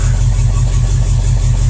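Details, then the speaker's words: International Harvester 345 V8 in a 1210 pickup, first run after a decade sitting and a replaced broken pushrod, still burning off smoke, poor exhaust: deep steady rumble, even firing, no ticks or knocks; healthy idle. "sounds great I wish the Scout ran this good"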